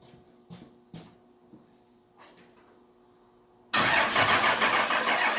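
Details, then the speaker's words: Junk diesel truck started by a jumper to the fuse panel after sitting about a year. Faint clicks and thumps during cranking, then it catches and settles into a loud, rough but steady run. Normal start; fluid sprayed from an unplugged transmission cooler line. "But she runs. This is the first time she's been started in like a year."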